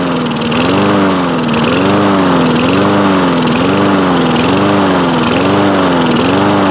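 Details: Toro Recycler mower with Kohler engine, long unused: engine speed swells and sags roughly once a second without settling; improves with throttle open or choke closed, lean hunting.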